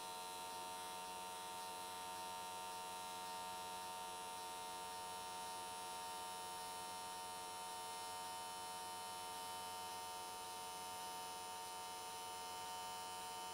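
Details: AC TIG welding an S13 catch can, likely aluminium, at 95 Hz square wave. Steady, even buzzing hum with constant pitch and no crackle or sputter. Normal, stable arc, judged a good frequency choice that carried the weld all the way around in one session.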